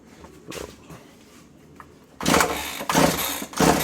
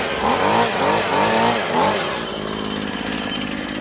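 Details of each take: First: Husqvarna/McCulloch Tivoli 65 two-stroke hedge trimmer, unused 15 years, primed with fuel through carb after air filter removed: about ten cord pulls, fires and screams briefly then dies; a fuel line is cut through and all are perished, starving it. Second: Husqvarna/McCulloch Tivoli 65 two-stroke hedge trimmer, sitting 15 years, after replacing perished fuel lines: blips up crisply a few times, then settles to a steady, even buzz with no misses; runs right.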